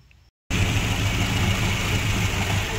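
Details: Classic Mini during a carburetor tuning session, after a freshly rebuilt carb was fitted and the idle reset. A steady, even idle with a firm low beat and no misses or spitting: normal idle.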